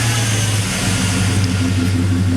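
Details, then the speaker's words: 2001 Chevy Silverado 5.3 Vortec V8 with stock intake, heard at the exhaust before a Flowmaster Delta Force cold air intake install: strong, steady, mean low rumble, smooth with no ticking or knocking; normal engine. "here for the exhaust she sounds absolutely mean especially when she's cold that's just awesome that's just absolutely awesome"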